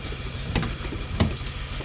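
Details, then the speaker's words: 1991 Dodge Grand Caravan SE petrol V6 idling on first start after about 20 years abandoned, not yet warm (thermostat not open); low steady rumble with a couple of light ticks, quieting as oil circulates, decent oil pressure and charging: normal idle. "Look at that, after 20 years, that thing it sounds pretty good. No. It's starting to quiet up. It is. Well, everything's getting good oil there."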